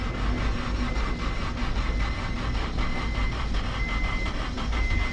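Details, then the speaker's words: 1997-2001 Honda CR-V with replacement engine, crank spinning the cams, second attempt with throttle floored: fast, even starter chugging goes on and on before firing; long cranking, owner suspects it was flooded, perhaps a leaking injector. "There she goes. There we go. Man, that had me scared there for a little bit. Sounded like she had no compression. It might have been flooded out."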